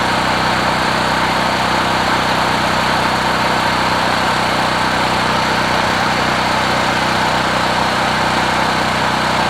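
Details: Generac GP5500 recoil-start generator, several years old, 36.8 hours, 89 octane with Stabil 360, new plug, running after about 25 pulls from cold. Steady, even engine drone with no misses or surging; runs smoothly once started despite hard starting.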